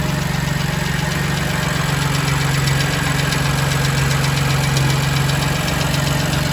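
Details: BMW M2 Competition S55 engine at cold start idles with a steady light tick, roughly four a second, over the low rumble.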